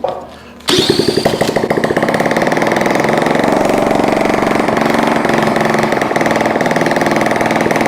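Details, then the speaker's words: Honda CT70 with swapped carburetor, electric starter, no exhaust fitted: starter spins briefly, engine catches, then loud quick even popping; running fine, kept short. "That's awesome. I don't want to run it too long. I gotta I don't even have an exhaust on there."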